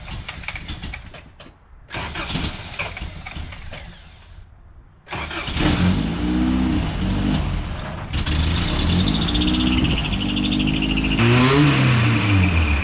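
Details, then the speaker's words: 1988 first-gen Toyota 4Runner, cold: long cranking before it catches, then a lumpy, uneven idle with surging revs. Hard starting and rough running; owner suspects the cold start injector. "Well, still kind of runs like crap, so we're gonna work on that and get her where she fires up and idles."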